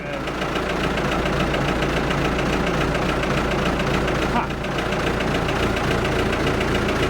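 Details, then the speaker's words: Ford 655A backhoe diesel just started after sitting abandoned, firm even idle with no misses or hunting; no oil pressure gauge, power steering uncertain, sounds good, normal idle. "oh I don't know if we're going to have power steering but wow that is amazing oh that scared me sounds good looks good"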